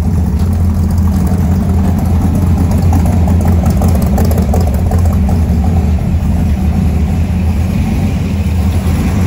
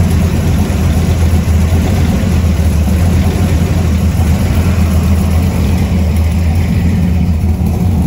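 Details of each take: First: 1970 Ford F100 V8 with no choke, deep loud idle through open exhaust with a faint rise and fall in its beat; owner suspects idle air mixture slightly off, timing believed about right. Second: 1970 Ford F100 warming up at idle after a newly completed exhaust: a deep, loud, steady low rumble with an even beat and no misses or ticks, a healthy idle; the alternator is separately not charging.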